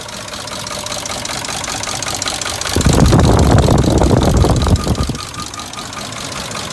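V8 running with a fast, fairly regular metallic rattle around four per second, louder in a mid-clip burst; source unconfirmed.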